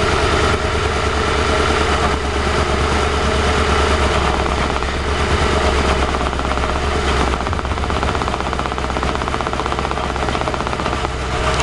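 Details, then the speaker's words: 2006 CVPI, drive-by-wire, nearly empty fuel tank: engine shudders at idle with a lumpy pulse of about four beats a second; throttle body shivering; the noise comes from around the catalytic converters; rough idle, cause undetermined. "the engine seems quiet itself that noise you hear is down there around the catalytics"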